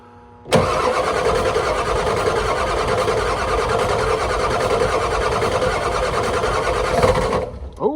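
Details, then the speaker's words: 1991 Ford F350 IDI diesel after replacing the leaking injector return lines. Long cranking that tries to catch but won't run freely because air is trapped in the injector lines, bled by cracking each line until it bogs. "just track each line until it kind of bogs down and then poting them back up sounds good good deal good deal"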